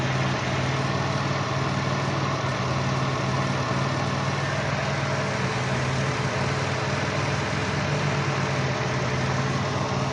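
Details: Dodge Caravan with code P0301: uneven loping idle as cylinder one drops out. An open ignition wire on cylinder one forces the coil to fire 40 kV instead of the normal 10–15 kV.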